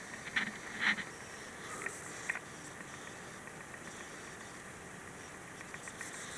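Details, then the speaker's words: Dell Precision M3800 laptop with SSD, plugged in: faint irregular electrical crackles and ticks in clusters over a quiet hiss from near the power adapter plug, rising and falling with drive access; pitch varies with screen brightness, gone when unplugged. "Here, files being accessed. The hard drive is making a noise."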